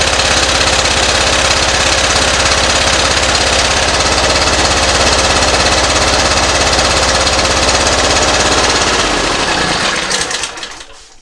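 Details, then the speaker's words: Simplicity ZT2500 zero-turn mower, Briggs & Stratton Professional 724cc 24HP twin, plug wires pulled one at a time: loud lumpy pounding, pulling one wire made no difference; one cylinder dead, plugs good, bad ignition coil. "you can tell that did not make a difference on it so we either got a dead plug or the coils bad are shorting out on that side for the coil telling it not to fire"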